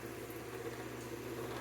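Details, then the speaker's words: Robbins and Myers fan under repair, running on high after the steel washers were loosened (before, it would not turn on low): a smooth, even low hum with steady air rush and no rattle or scrape; it runs cleanly on high. "and again now it's working again cold air and this is on high"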